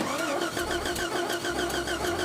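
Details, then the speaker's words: Jeep Grand Cherokee on monster axles, stranded off-road in the forest, after ignition rewiring attempts: steady starter whirr at about five cranks a second that never catches. Crank, no start; the wiring is suspected. "Go. No, it didn't work. I'm out of ideas. Well, most likely the wiring won't work."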